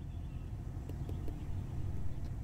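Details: 2002 Ford SUV, OBD scanner reports a cylinder 5 misfire code: deep, uneven idle thump with occasional missed beats.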